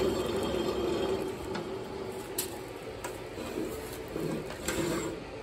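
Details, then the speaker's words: Craftsman DLS3500 mower deck spindle, turned by hand with the blade brake holding. Dry, rough scraping with faint squeaks and scattered clicks; the blade is also bent. Suspected dry mower deck spindle bearing. "this one's got the blade brake hold in it if you if you can hear that you'll hear that the bearings are quite dry plus this blade is bent too"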